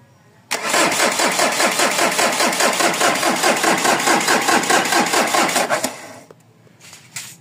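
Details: Mazda BT-50 pickup, 3.0 DI turbo diesel, long-standing hard starting, now no start: about five seconds of steady cranking with no firing. With contact cleaner it fires and dies, since there is no fuel supply; pump suspected. Battery is weakening.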